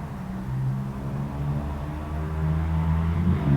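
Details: 1958 BSA C12 single on a road test after its misfire was fixed: a low, steady thump pulling evenly as revs build with no stumbles, sounding like it used to.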